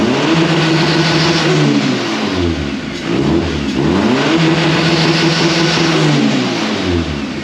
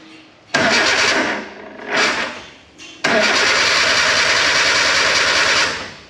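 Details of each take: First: K11 Nissan Micra Super Turbo time attack car after swapping in a crank sensor from a spare engine: fires right up, revs rise and fall cleanly through blips with even firing; running normally. Owner suspects wiring or a loose pin keeps killing crank sensors. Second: K11 Nissan Micra Super Turbo time attack car after Mallory Park: two short cranking bursts then a longer steady crank, never catches; new starter fitted, voltage dipping below 9 V while cranking; failed crank sensor.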